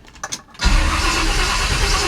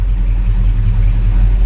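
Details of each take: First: Freshly rebuilt 1957 Chevy Bel Air on first start-up, no coolant in it yet, distributor timing near correct: starter churns steadily for several seconds while the engine labours without firing cleanly, then backfires through the carburetor; slow to start. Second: 1957 Chevy Bel Air V8 after rebuild, idling and given a little rev after topping up power steering fluid: steady even low rumble, no whine or squeal, power steering pump quiet; normal idle.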